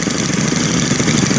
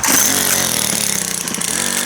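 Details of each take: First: Brand-new Stihl FS string trimmer, one of three started with choke and run together at idle, giving a quick, even two-stroke buzz at a steady idle with no stumbling or surging; the engine idles fine. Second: Brand new Stihl FS91R two-stroke string trimmer, primed and started; pitch sags and wavers as it fights to stay running, idle a little low so it won't sit there idling.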